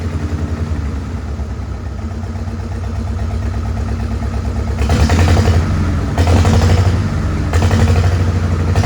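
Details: Farmall H tractor engine with an uneven, lumpy beat and loose clatter that gets harsher as revs rise, not firing on all cylinders. Carb not flooded and timing found not out; cause not confirmed.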